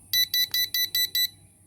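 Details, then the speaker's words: Cheap 9-volt battery smoke detector held on its test button a little longer, as in a monthly or six-monthly check: six loud, shrill beeps about three per second, then silence; normal smoke alarm test. "Okay, we can check the device maybe every month or every 6 months to make sure it function by pressing it for a little bit long."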